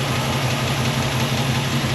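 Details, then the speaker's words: Rebuilt small-block engine in a Chevy C10 pickup, warm and smooth at idle: a light, quick valve-train tick heard at one spot, suspected lifter or pushrod backed off with loose valve lash; valves to be adjusted. "a lifter or push rod backed off maybe just a little bit I'm not hearing anything over here I'm most definitely hearing it right there"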